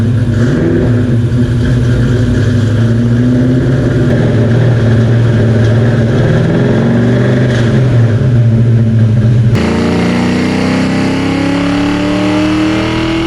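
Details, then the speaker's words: 1990 Ford Mustang Fox body, 393 stroker built from a 351 Windsor, Trick Flow 227 heads, stage 5 cam, EFI, pulling under load on the dyno: uneven, stumbling beat through the rev climb; misfire from plugs fouled black by a rich tune, plugs then replaced. "So we had to take a break real quick, and we had to change all the plugs around because they were pretty much fouled. And that's, you know, something to say. Our tune was pretty rich before. You can see how black these are, and it was misfiring pretty good."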